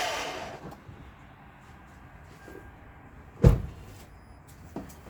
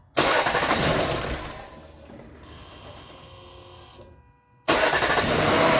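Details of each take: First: Lexus LS460, key turned: one solid clunk then a lighter click, no cranking; suspected starter plunger not pushing the pinion out to engage the flywheel; starter being replaced. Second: Lexus LS460 after starter replacement, first startup: brief crank, then engine catches cleanly and settles into a steady, even idle with no starter grinding.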